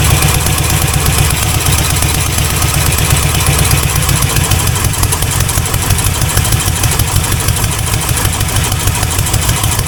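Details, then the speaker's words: C4 Corvette 350 V8 freshly reinstalled after rod-knock repair: loud, steady deep idle rumble with no tapping or knocking. 45 lbs pressure, running really rich, timing still way off, not charging; normal idle. "No knocking. 45 lbs of pressure. And it's just running really rich."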